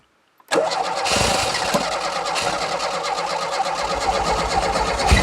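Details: Renault 5 GT Turbo barn find, unmoved since 2001, electric fuel pump suspected dead and bypassed with a funnel gravity feed: silence, then it fires at once and settles into a steady, slightly uneven run on choke.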